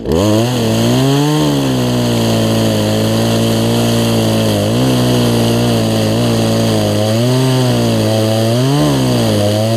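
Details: Poulan Pro 18-inch two-stroke chainsaw after carburetor and pinched-fuel-line fix, chain refitted, cutting a log: strong high whine dips briefly under each cut and recovers cleanly, pulling evenly; normal running under load.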